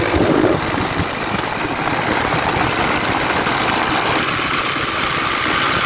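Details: Honda Titan 125 motorcycle, single-cylinder, still misfiring after a new carburetor improved it but not fully; uneven stumbling beat with dropped pulses through a rough, hissy idle; cause not yet found.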